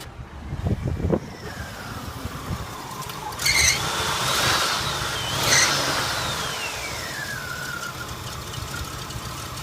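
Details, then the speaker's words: 1985 Oldsmobile Eighty Eight Royale Brougham, 307 V8, with dusty engine and a carburetor needing adjustment: shrill squeal over the idle that rises and slides down in pitch as it settles; owner suspects a loose alternator belt. "so it sounds like I have a loose belt here might be for the alternator"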